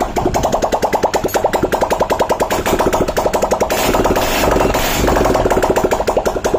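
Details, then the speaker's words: Hero CBZ Xtreme motorcycle after replacing its seized piston and valves and fitting a new spark plug: quick, even exhaust pulses at a steady idle with no knocks or rattles; the rebuilt engine sounds right. "अभी देखे बिल्कुल सही हो गया बिल्कुल clear हो गया अभी गाड़ी स्टार्ट है"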